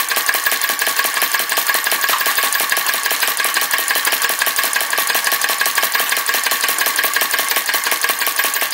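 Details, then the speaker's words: Retro VE-01 crossbeam flame licker vacuum engine: light, even puffing ticks about three a second with a faint hiss. Runs weakly because the low wick lets the flame blow out; wick to be pulled out. "so I might pull this week out a little bit make more of a flame see if it'll stop blowing itself out"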